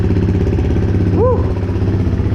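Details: Motorcycle fitted with a Power Commander, first start after battery was removed and reconnected and the Power Commander ground was reattached: steady idle with an even low pulse and a brief chirp; engine starts and runs smoothly.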